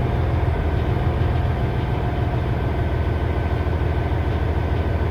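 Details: 2006 Cummins ISX CM870 diesel at idle: a deep, lumpy, uneven pulse, roughly three beats a second, that never settles; rough idle, cause not evident.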